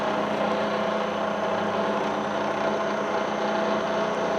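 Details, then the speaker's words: Bridgeport mill set to about 1400 rpm while replacing the bent spindle arbor and bearings: steady hum with a fixed mid-pitched whine, the noise apparently coming from something other than the spindle; abnormal noise. "something else something else is being noisy right now"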